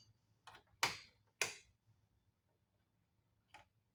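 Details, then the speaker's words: 1994 Polaris Trail Boss 250 ATV on a battery, trying to crank: sharp, irregular clicking and no lights. A previously spliced wire had a very loose connection that was getting hot; a short is suspected. "there's something clicking I don't see any lights okay that wire's been spliced before got wire here trying to short out here here it's really hot"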